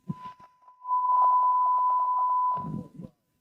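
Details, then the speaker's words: Radio receiver on bench, 1 kHz test tone with RF signal lowered 9 dB from −120 dBm: steady tone with crackling "frying bacon" noise taking over; weak signal near the noise floor. "That's 9 dB. You can hear the 1k tone in there, but the frying bacon is taking over."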